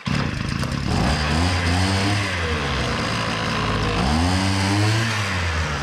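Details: Hyundai two-stroke brush cutter: revs rise, sag and labour, never reaching full rpm, so the head spins slowly and won't cut grass; fuel pump draws fuel, wet air filter seen, scored piston and carboned exhaust port found.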